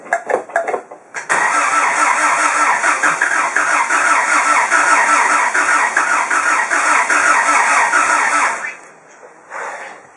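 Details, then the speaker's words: Project engine with heavy blow-by, throttle held flat: fast rough cranking, about two and a half beats a second, firing on only one or two cylinders and never running on its own; owner suspects timing. "I could have timing out or something, but it wants to fire, it's trying to run."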